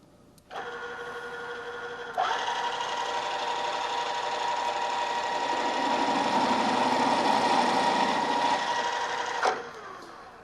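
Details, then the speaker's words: Drill press stepping up from a quarter-inch toward a 1-inch hole with a half-inch drill: a hum, then a harsh ringing, vibrating whine as the drill chatters, deflecting and jumping in the hole from running too fast; fix is lower spindle speed. "you could hear that noise it's called chattering and that's caused by the drill deflecting and jumping around the hole as it's uh coming in contact with the part this is usually indication that I'm running the drill a little bit too fast"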